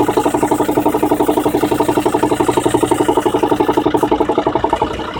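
Very regular sharp popping, close to four pops per second, steady at idle with little else behind it; the cause isn't clear from sound. Cause suspected, not confirmed.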